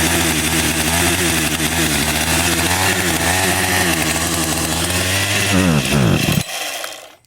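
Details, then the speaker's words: Husqvarna 562xp chainsaw, hot after use on a 91°F, ~100% humidity afternoon, holds a crisp, steady high rev with clean throttle response; runs well once started, though owner suspects vapor lock causes hot no-start. "And when it's running, like right now, it runs awesome."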